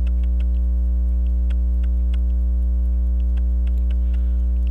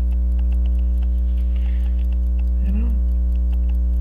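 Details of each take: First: Waltham Appleton Tracy 18-size 15-jewel pocket watch after fixing loose hairspring collet and seating hairspring in regulator pins: crisp, fairly even ticks over low hum, no stumbles, balance swing maybe almost 180; normal running. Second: Waltham Appleton Tracy 18-size 15-jewel pocket watch, roller jewel out of position: steady ticking about three per second over a constant hum; runs poorly, suspected off-center hairspring from loose collet.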